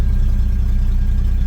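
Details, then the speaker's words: 1972 Chevy C10 pickup V8 restarted after it ran hot and the temperature light came on. Earlier noise was believed to be gas blowing out, not internal. It starts on the first try into a deep, even, healthy idle with no knocks or misses. "whoa excellent first try engine sounds good"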